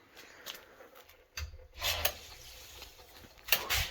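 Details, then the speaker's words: After repairing a suspected frozen, leaking water pipe with Sharkbite fittings and reopening the main valve: a few sharp, dry clicks in a quiet room as the pressure switch snaps over with water pressure returning; repair not leaking. "Okay, listen, you hear that click? That just clicked, so I think we got water pressure."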